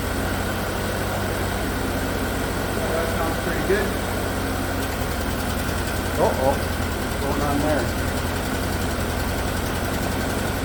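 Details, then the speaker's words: 2017 Chevrolet Equinox 2.4 AWD, used replacement engine (130,000 km) after PCV freeze-up blew the rear main seal, first start: steady idle turns uneven with stumbles, misfiring, check engine flashing, later smoothed out; code P0300. "obviously missing oh well now the check engine light is flashing let's see if it straightens out"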